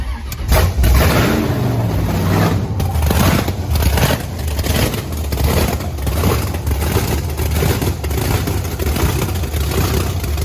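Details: Blower Camaro on methanol, started after topping up fluid and fuel, with cylinder temperatures about 60 degrees apart: loud, lumpy rumble settling into a steady choppy idle with no knocks or rattles; normal idle.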